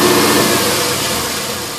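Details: LS1 V8 after new intake manifold, headers and EGR/AIR delete: uneven hunting idle with hissy edge; rough idle from an open fitting left uncapped after AIR/EGR removal, not the ECU tune; fixed with custom hoses.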